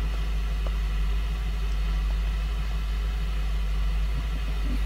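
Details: 2004 Lincoln Navigator 5.4 running rough at idle, no check engine light and no misfire code stored: low, steady rumble with a faintly uneven pulse, under one beat per second, from a cylinder misfire.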